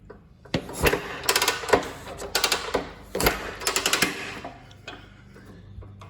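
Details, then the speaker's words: 1928 Harley-Davidson Model B kicked over with clutch engaged: several heavy chuffing bursts, each stroke pushing against firm compression; healthy compression on kick-over. "There we go. So now you can hear the compression."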